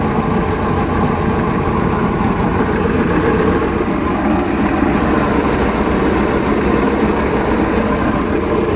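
Loud, steady idle with an uneven, lumpy beat underneath, no clear knock or squeal; runs rough, cause not evident. Cause suspected, not confirmed.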